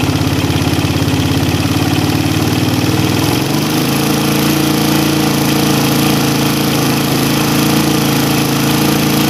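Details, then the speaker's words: Single-cylinder motorcycle carburettor tuning, air screw opened while hunting peak RPM: steady beat then revs sag and recover unevenly as the screw goes past the peak; air screw over-opened, so it is closed back. "kedengaran ini sudah lewat karena RPM kembali turun naik ya kita tutup lagi"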